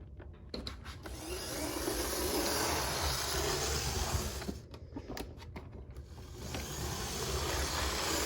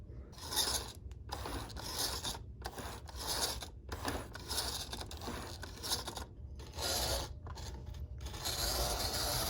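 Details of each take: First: Used model train locomotive from a bulk lot, one of the roughest, with flickering lights: small electric motor whirs steadily with light wheel clicks on track, speeding and slowing evenly without stalling; runs normally. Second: Used model-train locomotive (Rock Island one) from a bulk lot, nudged along the track to get it going: a scratchy, uneven motor rasp that keeps cutting out and picking up again. It runs rough but keeps moving.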